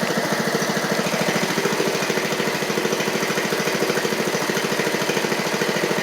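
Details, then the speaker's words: 7-year-old MTD Murray riding mower, oil low, ran great right after start: uneven, lumpy pulsing beat about three per second instead of a smooth idle; owner suspects there may be water in it; engine running rough. "why did that might be some water in it darn it run ran great right off the top there"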